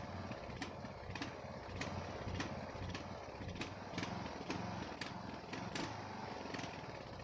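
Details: Ariens 42" geared riding mower, 17.5 hp Briggs & Stratton (31C707), Nikki carburetor, long neglected; after new fuel filter and fresh gas, fuel flow fine: surging, stumbling, sharp pops about every half second, smooth only at certain throttle positions; carburetor suspected, unconfirmed.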